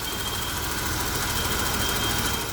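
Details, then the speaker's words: 1992 BMW 735iL inline-six at idle after fitting diesel E34 engine mounts to cure vibration: steady even idle with no knocks or shudder, smooth and healthy. "so yeah lesson learned that's very smooth I can barely feel any vibration"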